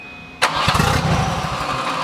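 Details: Turbo Volvo 740 with fuses blowing, cranked with a connector plugged in: sharp catch and a few uneven firing pulses that fade rather than settling to idle, sounds fuel-starved as fuse blows; owners suspect main fuel pump circuit. Engine starts then dies.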